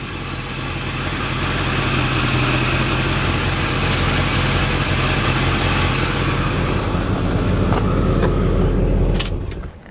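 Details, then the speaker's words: 1972 Oldsmobile Cutlass 442 with an Olds Rocket 455, possibly not the original engine, idling: a light, quick tick about four per second from a suspected small exhaust leak under the hood. Engine otherwise runs great. "engine runs great got AC all the components for the factory AC are there but they're not hooked up obviously the compressor is free sounds like it's got a small exhaust leak"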